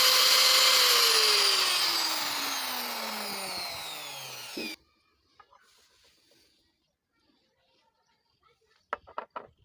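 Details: Angle grinder: harsh, high-pitched gritty whir that drops in pitch as it coasts to a stop; sounds like worn gears, though the exact cause is unconfirmed; abnormal gear noise.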